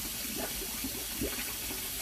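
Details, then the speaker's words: Kitchen sink filled with water then drained, drain piped with multiple turns: slow swirl with bubbling and glugging instead of a straight flow; venting issue doubted, may need cabling or jetting; gurgling slow drain. "and it's bubbly yeah it needs to be oh there it goes yeah you hear it that's not supposed to make that noise so what it's supposed to do is just go just straight out"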